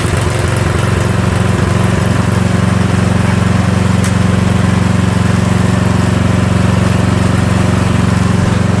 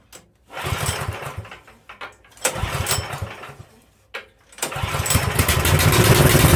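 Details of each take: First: Troy-Bilt snow blower small single-cylinder engine runs steady and even at constant speed after a gear selector adjustment that restored forward and reverse; no misses, knocks or surging, healthy. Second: Troy-Bilt snow blower, usually a one-pull starter: several short pulls sputter and die, then it fires and holds a ragged run; a hard start, owner suspects flooding.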